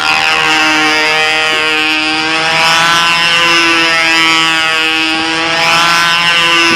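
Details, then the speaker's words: Model engine in flight holds a high, buzzy, thin screaming note through the loop and runs lean the whole way; Noel's motor, and a tank shim might be in order if it stays lean in the outsides. "it looks like he's a little on the lean side here. It's lean for the whole loop, so."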